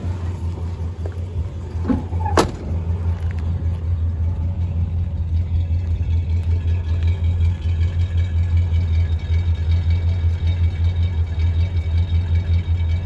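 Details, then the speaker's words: 1966 Chrysler Newport, rebuilt Stromberg WWC 2-barrel carb, replaced single-exhaust muffler, outside listening: low smooth exhaust rumble at steady idle, no puffing leaks or rattles, brief handling clatter; quiet, normal idle. "I think that sounds pretty good. Come around to the front, pop the hood again. It's really quiet."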